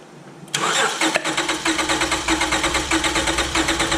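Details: 2005 Acura TL 3.2L V6 with a new timing belt and a cylinder 4 misfire, under a cranking compression test on a good cylinder that reads about 200 psi. Steady, even cranking rhythm with no stumbling, showing normal compression while cylinder 4 reads zero.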